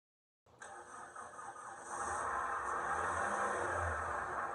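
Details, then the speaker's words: Flood-damaged Toyota Echo that only clicked even with a jump, started after a tap on the starter: engine catches after a brief crank and settles to a steady, even idle with no misses or knocks; normal start. "So guys, we gave it a little love tap on the starter. The car started and it runs."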